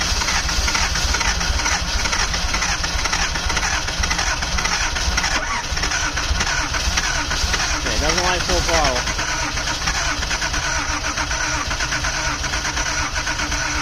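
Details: 1979 Datsun 280ZX after years of not running, first start attempts after new fuel injectors and wiring found backwards. Starter churns steadily and the engine never catches. Owner suspects too much fuel or a leaking injector, with the fuel pump left running.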